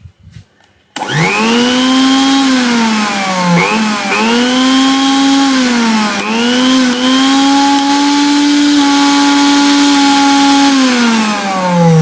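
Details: Butterfly mixer grinder after its vibration bush was replaced and the top coupler reseated, following complaints of noise and vibration: steady smooth motor hum with a clean tone, dipping briefly under load and recovering, no rattle or grinding; runs normally after repair.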